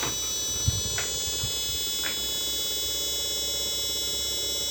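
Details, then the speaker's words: Chinese TV power supply regulator with B+ output dropping to only 7 V, powered through a series bulb: a thin, steady high-pitched whine with a faint warble, like a siren. "Lihat, bunyinya kayak gini, seperti sirine."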